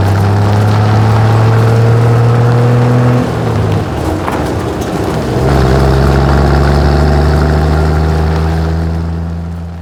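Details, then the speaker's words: 1963 Ford F100, carbureted with manual choke, after brake repair: idles, then stumbles and sags before recovering, keeps dying and wants a little choke; later fixed by swapping the fuel filter; rough running and stalling. "But now we got to figure out why it keeps dying. Seems to like just a little bit of choke, but I don't like the little bit of choke."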